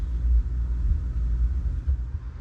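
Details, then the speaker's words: Rheem gas water heater after gas control valve and thermocouple replacement, pilot lit and valve turned on: soft steady roar with mild flutter as flame rises, no popping or sputtering; burner running properly. "So now I just turned it to on. Okay. Now you can hear the flame going higher."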